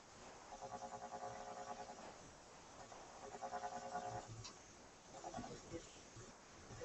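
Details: Sparton 99A tube radio during IF alignment near 453–455 kHz, no antenna connected: warbling buzzy tones in uneven bursts over the hiss, caused by the ungrounded signal generator and cured by grounding it, not a radio fault.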